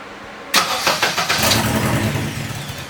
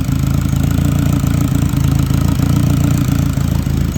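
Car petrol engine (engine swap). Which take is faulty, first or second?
first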